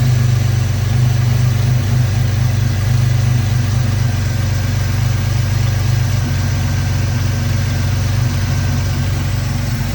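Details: 2002 Ford Mustang 3.8 V6 automatic, after replacing PCV valve and breather hose: steady low idle with slightly uneven, lumpy beat, no clear hiss; rough idle, owner suspects a vacuum leak, unconfirmed.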